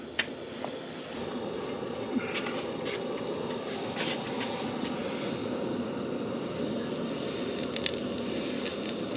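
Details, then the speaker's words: 1939 Caterpillar D4 with a rebuilt D4400 diesel, new liner O-rings and reused copper seals: crackle test dropping dipstick oil into a hot pan gives a steady frying hiss with sharp pops; water in the oil, source unknown. "sounds like we got water in the oil yep sure enough yep that's water"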